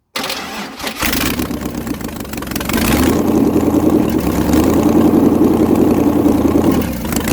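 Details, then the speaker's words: 1956 International R180 with a used junkyard 454 V8 on HEI distributor, first start: cranks, catches and settles into a loud even rumble with no smoke, seemingly firing on all eight despite one suspect cylinder; normal running. "I mean Jesus there's no smoke at all it sounds like it's hitting on all eight which really shocks me because this cylinder is hardly in there"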